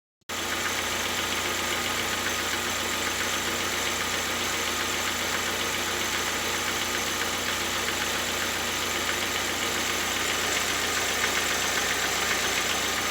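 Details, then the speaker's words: Engine ticking fast and light at idle, about four taps a second, after valve stem seal replacement with rockers removed; hydraulic lifters refitted empty, pressed out of oil, clatter until filled. "Так, ну так похоже на стучат гидрокомпенсаторы."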